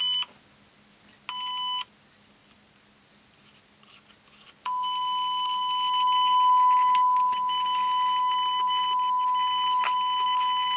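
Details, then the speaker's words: Oric-1 computer speaker driven by a 1 kHz signal generator: the steady tone drops out and cuts back in repeatedly. The intermittent output is traced to a broken speaker lead. "we have some intermittency somewhere certainly have now just finding out where is the problem"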